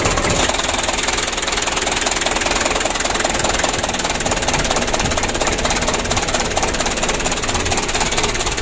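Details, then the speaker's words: 2007 Mitsubishi Canter 125 diesel on its first start after an engine rebuild: shaky, rough idle with a loose, uneven knock about three times a second over the clatter, as it shook the night before. "tadi malam seperti ini ya goyangnya"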